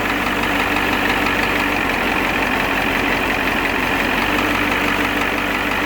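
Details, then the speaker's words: Ford 7.3 IDI turbo diesel, warm idle with new injection pump and injectors, steady tick-tick knock traced by stethoscope to cylinder 7, knock stops when its injector line is cracked; single-mass flywheel chatter, coolant/oil mixing. "But you'll see when I crack the number 7 injector line that the knock goes away. So you can hear it tick, tick, tick, tick, tick."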